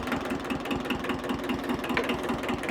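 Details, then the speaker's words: Free 1974 Kubota diesel tractor that started once the throttle was moved off stop. Even, rhythmic diesel clatter at idle with no misses or hunting; runs healthy. "This thing runs like a charm."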